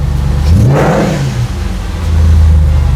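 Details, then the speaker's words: 2003 Audi S6 C5 Avant V8 just after cold start, left to warm up, charging okay with no dashboard errors (likely a low-battery issue): clean blip rising and falling, settling to a steady idle without rattles or misfires; running healthy. "I don't know if this is coming across on the microphone, but this sounds incredible."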